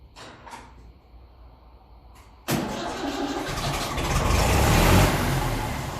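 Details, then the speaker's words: 1954 Ferguson TE20 (TEF) tractor with a fully overhauled indirect-injection diesel, started cool at about 12° with no heat: catches almost instantly and settles into a steady idle with a slight diesel knock; injection timing needed advancing. "look that is very impressive start as good as that and that thing is a full overhauled engine so you can hear the little rattling the engine the kind of diesel indirect injection diesel knock"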